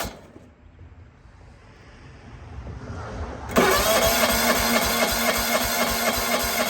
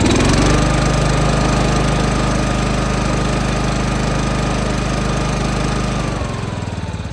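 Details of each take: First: John Deere 165 Hydro lawn tractor with sporadic spark, cranking after a new cheap Amazon igniter chip was fitted: steady even cranking at about four turns a second that never catches or fires; no spark, open ignition coil secondary. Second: John Deere 165 Hydro lawn tractor after a new ignition coil set at 0.012 in air gap, with an Amazon igniter chip fitted: small single-cylinder engine catches and runs steady at a fast even beat, dips and recovers briefly; healthy running.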